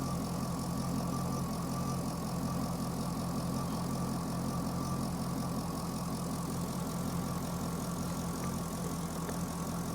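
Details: Chevrolet Corvette with a P0300 code; an in-cylinder test showed the injectors firing at the wrong time. Steady idle with an uneven, loping skip under the exhaust note, a cylinder misfire. The injector current waveform looks good at about 60 V peak, and cam/crank correlation is off by one tooth.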